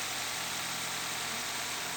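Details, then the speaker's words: Car at idle after baby powder was sprinkled on both accessory belts to cure a squeal ahead of winter: a steady, even idle with a constant hiss and no belt squeal or chirp left. "Все, запускаем машину. Вот, перестал пищать ремень."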